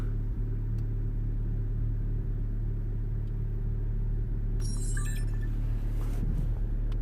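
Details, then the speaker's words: 2010 VW Golf GTI after repair of misfiring with flashing engine light and EPC light: smooth, even low idle with no stumbles or skipped beats; running perfectly, stored codes still present; normal idle. "okay so let's gonna start this thing and see what happens and is driving perfect it's a running perfect"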